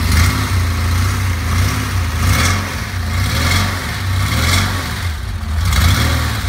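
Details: 1969 Porsche 911 with a 3.6 engine at startup. A rough, uneven idle with irregular stumbles and small rev surges never settles. It is a startup misfire, cause not yet found.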